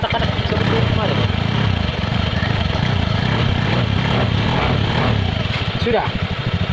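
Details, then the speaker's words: Honda Scoopy scooter after CVT repair and reassembly: a steady, low, smooth idle with no knocking or rattle from the belt drive, the earlier klotok noise gone. "Ini sudah halus. Nah, begitu halusnya. Wow, wow. Wow. Itu bagus sekali. Sudah tidak ada katak-kadak"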